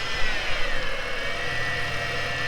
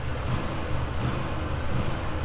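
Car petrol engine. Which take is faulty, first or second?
first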